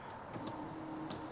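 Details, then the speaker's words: 1991 BMW 735iL power headrest motor after fixing it: faint steady hum with a few light ticks; headrest moves smoothly and evenly, working normally. "Do we have a moving headrest? Come on, baby."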